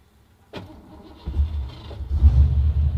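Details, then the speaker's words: 1987 Ford Mustang notchback race car, 5.0 V8: short crank catches quickly into a deep, lumpy, evenly building rumble with no knocks or rattles; normal healthy start-up. "oh yeah listen to that engine that sounds muscle"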